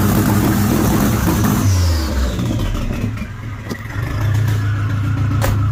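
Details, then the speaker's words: Nissan Hardbody turbo setup, engine with a slightly bent rod, running a little lean with erratic throttle position sensor, about 20 psi oil pressure at idle: revs then lumpy idle with light quick ticking, three or four per second, from the injector. "Hear the clapping noise a little bit. The tickling noise is the injector."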